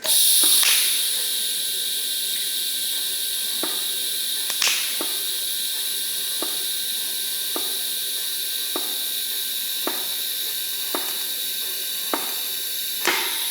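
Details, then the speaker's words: ARCCAPTAIN 200P AC/DC TIG welder, shielding gas post-flow set to about 10 seconds: smooth, steady high hiss with a few faint ticks, no sputter or gaps; post-flow working normally. "Gas seems to be gassing. I don't like how there's not a countdown on the machine for the post flow, but you can kind of hear it. I have it at like 10 seconds right now."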